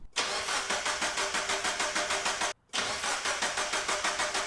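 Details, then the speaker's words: Abandoned Mazda Miata, no key, factory immobilizer prevents starting: even starter beat at roughly three compression pulses a second with no grinding; the engine cranks normally and sounds healthy. "but hey it cranks it sounds healthy sounds like a normal motor cranking"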